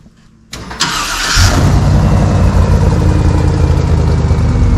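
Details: 1986 Chevy C10 with a swapped 6.0 LQ9 V8 and 4L80E transmission, filmed under the hood: the starter whirs briefly, then the engine catches and settles into a steady, even, deep idle with no knocks or misses; healthy start and idle.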